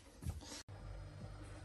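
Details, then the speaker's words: Fridge/freezer after the freezer-compartment fan that made a loud tractor-like noise was fixed and properly reseated: after a brief knock, a steady, low, even hum with no rattle or roar. The fridge now runs normally. "now you can see the fridges work you can hear the noise you can hear the noise but not this loud noise the normal fridge noise"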